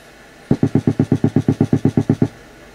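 About fourteen sharp, even ticks at roughly seven a second over a quiet hum; the tremolo circuit is bleeding a tick into the signal.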